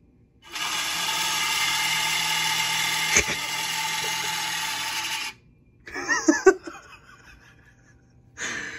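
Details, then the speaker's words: Dell OptiPlex 790 SFF at power-on: loud, harsh, steady screech with high hiss for five seconds from the failing Foxconn CPU blower fan, later replaced with a Delta fan; failing CPU blower fan screech. "headphone users beware this is extremely loud do not listen to those with high volume this is your warning"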